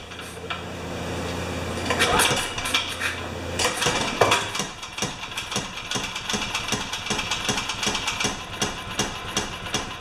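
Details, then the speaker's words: Makita G2400R 2400-watt generator, sat unused a long time, first run after adding fresh fuel: small engine putters unevenly, stumbling and hunting instead of holding steady idle; carburetor butterfly suspected. Rough running. "okay let's turn this thing off hook all it runs not great but it runs"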